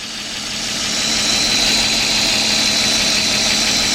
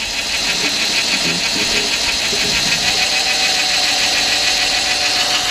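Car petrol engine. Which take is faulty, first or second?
first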